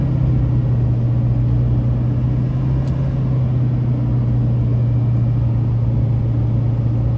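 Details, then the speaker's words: 2006 Chevrolet Silverado 2500HD LBZ 6.6 Duramax, Allison six-speed, 91,301 miles, climbing a hill through the gears: deep steady diesel drone, no flare, slip, hesitation or harsh shift clunk; engine and transmission healthy. "we'll head up the hill you can hear the lbz run as well as the allison six speed run through the gears here how it doesn't shift hard hesitate or slip at all"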